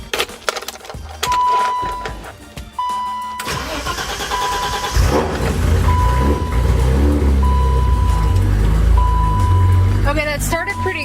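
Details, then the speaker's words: BMW E30 after replacing a failing in-tank fuel pump with an Airtex unit, second start, which previously cranked without catching: with music over it, brief crank, clean catch, settling into a steady idle; normal start and idle. "normally whenever I started the second time it either tries like it's or it sounds like it's trying to start and never does and I have to stop and try again or before that problem started occurring that's exactly what it sounded like just now"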